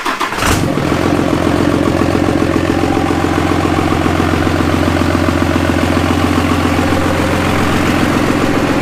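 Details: Cummins-swapped Jeep YJ, first start-up with AirDog fuel pump on switched power: quick crank catches at once, settling into a steady, even diesel idle with no knocks or stumbles; normal start and idle.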